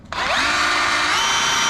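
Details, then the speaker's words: DeWalt 54V brushless hammer drill before hammer rebuild: motor spins up to a smooth steady whine with no hammering clatter even in hammer-drill mode; no hammer action. "before it's like this. Before it's like this. Before, no hammer."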